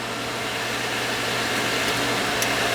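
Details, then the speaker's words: Field power venter above the furnace, running after the fix: steady airy whoosh with a low, even hum and no rattle; the loud noise came from loose screws, now tightened. "got a couple of screws loose that's the problem this thing sounds fine"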